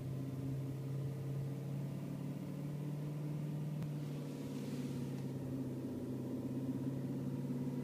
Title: E39 M5 vibration sound at idle